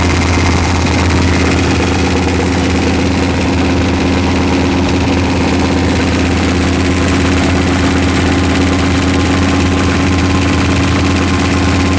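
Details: V8 with forged pistons, idling during run-in, about 155°F: loud rough idle with a heavy bottom-end knock that doesn't change; pan removal found a problem crank journal and loose rod bearings 3 and 4.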